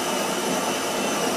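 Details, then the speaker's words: Saeco Royal Cappuccino automatic bean-to-cup machine grinding beans for a short espresso: a steady, even whirring rush with no knocks or squeals, and clicking as ground coffee is flicked into the brew unit; normal grinder operation. "Now the machine is grinding the coffee. That clicking you can hear is flicking the ground coffee, freshly ground coffee, into the brew unit."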